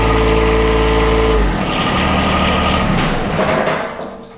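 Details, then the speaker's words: John Deere 1023E sub-compact diesel tractor that stalls only in cold temperatures, started in winter: it catches hard and loud, then stumbles and sputters unevenly because of air in the fuel lines. "It sputtered when we first started it up. That's because I had air in the lines, of course."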